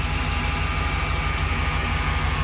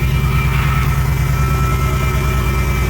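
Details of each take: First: 2014 Jeep SRT8 after broken valve spring replaced, first start, cold weather, some smoke possibly residual oil: V8 idling evenly with a thin steady high-pitched squeal, possibly from the power steering, cause unconfirmed; squeal. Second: 2014 Jeep SRT8 after a broken valve spring was replaced: a deep, steady V8 idle with an even beat and no skips, with some smoke, likely residual oil. Normal idle, misfire fixed.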